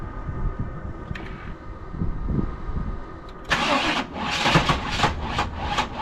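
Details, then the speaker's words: 1996 Chevrolet Silverado pickup with a bad starter: slow, uneven grinding crank for about three seconds before the engine catches and revs; weak, struggling starter motor. "right now this is how it sounds when she has a bad starter okay just turn a little"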